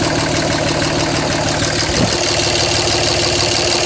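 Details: 2007 Dodge Ram 5.9 Cummins, rough idle for about a month: loud uneven lumpy clatter with a brief stumble; intermittent fuel rail pressure sensor, MAP sensor and overboost codes, owner wonders about blow-by and exhaust sound; cause not pinned down.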